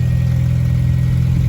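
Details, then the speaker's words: 1994 Honda Accord four-cylinder idling right after all distributor seals were replaced to fix an oil leak; settles to idle instantly, smooth steady low hum with no roughness or ticking — normal idle. "Hey Dad, if it don't automatically turn over, wait a second. Sounds like it idled down instantly."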